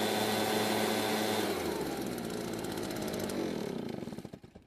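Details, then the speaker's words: Garage-sale Redmax two-stroke backpack leaf blower, test run with the air filter refitted: it revs with a steady, clean buzz, then winds down smoothly at shutoff. It runs as well with the filter as without. "it seems to be running okay with or without the air filter"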